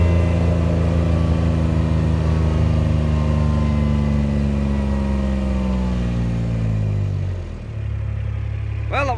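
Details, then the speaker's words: Kubota RTV900 diesel utility vehicle, hydrostatic transmission after replacing charge pump, brass wear plates, charge pressure relief valve, filters, hoses and oil; road test reaching nearly 27 mph. Strong even diesel drone, drive whine dropping smoothly as it slows, no grinding or slipping; normal hydrostatic drive. "was nearly 27 mph. That That's the fastest this thing has ever done since we've had it."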